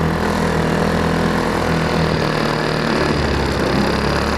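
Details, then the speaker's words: Small single-cylinder go-kart engine after fitting a homemade muffler from a brake-cleaner can packed with steel wool, previously very loud; soft, subdued, even idle with no harsh bark; normal idle. "Hear that? That sounds good. Wow. Quiet. Now, that's bearable."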